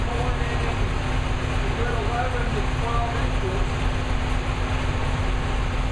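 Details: New V8 with Lunati 60140 solid cam, running hot after valve lash was reset from about .010 to .014 intake and exhaust per the cam card: smooth, steady low rumble, no clatter or uneven beat; running cleanly.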